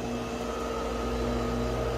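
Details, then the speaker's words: Freeze dryer on first test run with pre-frozen strawberries and berries, drain valve closed, vacuum pump attached: steady low compressor drone with fixed hum and light fan hiss, no clicks or rattles, at start of a 9-hour freezing stage; normal freezing cycle. "Okay. Freezing for, it says 9 hours. So it'll be freezing for 9 hours"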